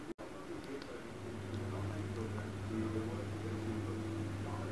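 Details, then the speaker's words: Refrigerator not cooling, after replacing the relay; brief click then steady low hum builds and holds evenly as the compressor starts and runs normally, cooling begins. "मैं अभी हम compressed कर रहे compressor की आवाज आ रही है है ना कंप्रेसर स्टार्ट होगा इसका मतलब हमारा कूलिंग होना चालू हो गया"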